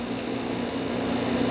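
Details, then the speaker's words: LG 12,000 BTU air conditioner, R22 unit, running: steady even hum with smooth fan rush, no rattles or knocks; seems to be cooling, compressor and fan motor sound healthy, coils need cleaning. "but i mean right now it seems like it's in good condition it seems to be cooling the compressor sounds healthy the fan motor sounds healthy"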